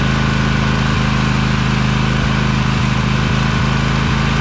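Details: Little Wonder hedge trimmer, Briggs Vanguard 23 hp V-twin, after primer bulb replacement and carburetor clean, started choked at low throttle with brake on: smooth regular low beat, even firing without stumbles or rattles; runs nicely now, normal.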